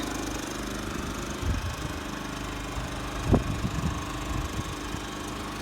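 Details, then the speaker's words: Champion 3400 W dual fuel inverter generator, model 100263, with electric start, in economy mode, heard from 25 feet: a low, even, quiet hum with no knocks or surging. Normal running. "25 feet precisely measured and you and I can have a great conversation with it right there"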